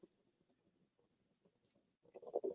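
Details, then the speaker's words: Moka pot brewing on the stove, with the heat turned way down: soft bubbly patter swells into louder bursts of sputtering gurgles. This is the normal brewing gurgle. "Yeah, turn this thing way down. Hear it. It says you will hear a gurgling sound."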